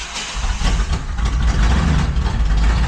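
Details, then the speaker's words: Truck running rough on a misfire right after a new ignition coil was fitted, with no stored DTCs: uneven, lumpy low thumping with irregular beats; it needs throttle to keep running and dies when the gas is released. Owner suspects ignition timing or the ignition circuit, not confirmed. "See how rough she's running? I have to get the gas to run. So, I let up the gas to die. Yeah. Sounds like the cylinder ain't firing or something."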